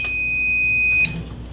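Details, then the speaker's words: Kenmore dual fuel oven with element not heating, unplugged, element wire disconnected, multimeter continuity test: one steady high beep about a second, reading about 17 ohms; element is good, control board suspected next. "we're going to check for continuity see if we hear a beep then we're here be there for that element is good"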